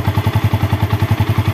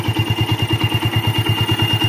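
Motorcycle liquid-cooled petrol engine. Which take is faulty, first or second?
second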